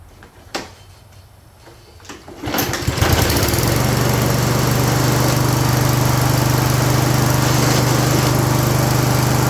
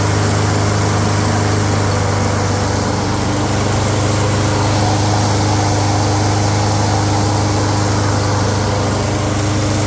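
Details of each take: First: Toro 22 Recycler mower with no drive: engine starts and settles into a steady fast beat with a rough grinding under the drive; wheel gear suspected, possibly both wheels; drive gear grinding. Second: Toro 22 Recycler mower after freeing a stuck wheel on the plastic-wheel/metal-gear drive: steady single-cylinder drone with drive engaged, grinding gone; drive still weak, may need cable tension adjustment.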